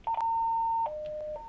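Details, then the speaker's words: Motorola APX 6500, XTS 2500 or XTS 1500 portable radio, orange emergency button pressed and held: clean high beep, lower tone, then high again as the emergency signal goes to all radios identifying the sender; emergency alert tone. "what that does is it sends an emergency signal across all of the radios and it says who is having a problem"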